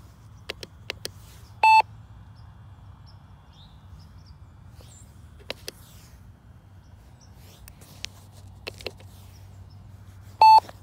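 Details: Two short high-pitched beeps about nine seconds apart from an IX12 transmitter, beeping at random mid-flight. The cause is unknown; the owner suspects it is linked to switching Wi-Fi and Bluetooth off.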